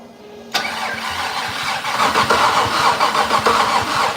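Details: Fatsun (Datsun), first start attempt in 3 years, fuel poured over it: starter chugs about three or four beats a second, never fires; no spark seen at plug, dirty plugs suspected.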